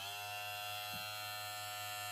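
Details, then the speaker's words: New Moozie HG 1901 hair clipper, freshly charged: steady, even high-pitched buzz with no rattle or pitch wander; motor running smoothly and healthy. "It is running."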